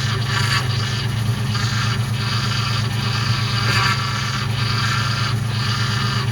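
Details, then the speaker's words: Ford Mustang GT V8 idling just after start while bleeding power steering: whine swells and pulses over idle; owner believes an air bubble trapped in the pump, which turning wheels lock to lock can often work out. Power steering pump whine. "so you can see that the pump started to make even more noise after it was running for a second and a lot of times I believe that's an air bubble that's trapped in there"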